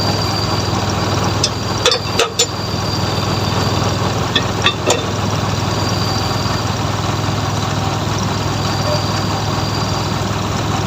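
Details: Suzuki F6A engine: steady, low, even idle with a smooth rumble and no knocks or misses; healthy normal idle.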